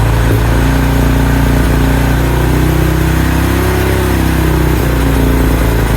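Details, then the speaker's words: 2000 Honda Foreman 400 4x4 after fixing a no-spark fault, fuel nearly empty and possibly old: the single thumps steadily at a raised, wandering fast idle; choke position uncertain, sounding like it is still on. "I don't know if I had to choke the right way I'm assuming I do that sounds like the choke is off now the other way sounds like it's on"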